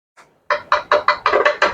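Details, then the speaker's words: Record player with built-in amplifier and radio, previously fully dead, unused for 25–30 years: taps on the cartridge come through the speaker cleanly and evenly at full volume, showing the cartridge and amplifier path works. "Sound கேக்குது நான் இங்க வைக்கிறேன் பாருங்க so எல்லாமே கிளியரா work ஆகுது"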